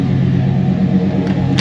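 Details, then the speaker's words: 1987 GMC G3500 Rally one-ton van (ex-church van) with an early 350 V8 with TBI throttle body injection and an exhaust thought to be Flowmaster, idling in the shop with the camera on the roof: a steady, even low rumble with no knocks or misses. Normal idle. "But yeah, if you can't hear it, she's idling really good."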